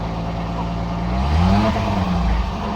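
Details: Peugeot 505 V6 manual, sat unused over two months since late October, hard to start: engine just caught and runs rough and uneven, lumpy wavering revs, seemingly flooded with too much fuel; owner suspects injectors not shutting off, spark plug replacement planned.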